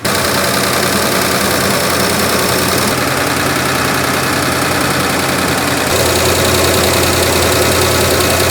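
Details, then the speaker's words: 1963 Ford F100 idling after the carburetor was reassembled and refitted, still cold and smoking blue: a steady, even idle with a faint irregular pop now and then. It is the nicest it has ever sounded; the cause of the pop is unclear. "Just listen to that. Still has a little bit of a pop here and there, but that's the nicest it's ever sounded."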